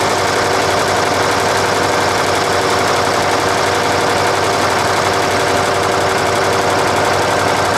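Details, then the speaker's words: Nissan Diesel UD5 two-stroke uniflow-scavenged supercharged diesel running after starter repair: loud even running with light ticking as the blower/compressor breathes through the intake with the air cleaner removed; normal. "probably hear that ticking noise come into it the compressor's breathing through the air cleaner which we've got taken off there at the moment"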